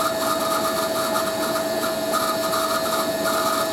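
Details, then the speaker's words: Hoover A3060 Electronic 1100 washing machine on Fast Coloureds 60°C, second rinse spin: steady piercing high squeal over the motor's even run, caused by dry motor bearings that need lubrication or grease. "Second rinse. Because the motor bearings are quite dry on this machine."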